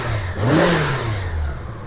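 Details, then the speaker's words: 1987 Honda GL1200 Goldwing carbureted flat-four after carburetor synchronization, idling about 900–1000 rpm: a quick blip rises smoothly and falls straight back to a steady idle with no popping or hesitation; normal throttle response. "There's no popping, no problems. It returns back to idle the way it's supposed to."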